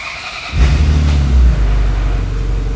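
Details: Ferrari F355 V8, faults cleared, uneven cat temperatures: catches after short crank into a lumpy, uneven idle; MAF sensor later found bad and replacement ordered.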